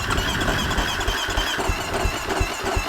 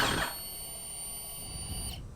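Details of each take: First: Husqvarna FC250 fuel-injected dirt bike that won't start after a ride, spark plug back in, starting fluid in throttle body: rough firing catches briefly and stumbles; runs on fluid, so spark and timing good, fuel pump suspected bad. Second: Husqvarna FC250 with a new fuel pump plugged into the harness: a clean, steady high whine for about two seconds, then a sharp cutoff as the pump primes normally. The old pump was silent, confirming it was bad.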